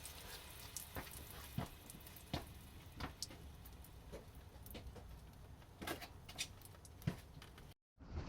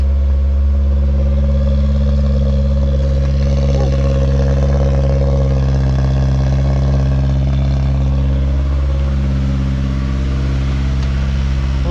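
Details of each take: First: 1985 Toyota Corolla GT-S AE86 with Honda S2000 F20C swap, engine off while priming after long storage: irregular fuel drips pattering about every half second, a heavy fuel leak; owner thinks he found where it came from. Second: 1985 Toyota Corolla GT-S AE86 with a Honda S2000 F20C swap being prepared for California smog, in neutral after fuel leaks were fixed: deep, steady idle with an even low rumble and no misses or knocks; check engine light on.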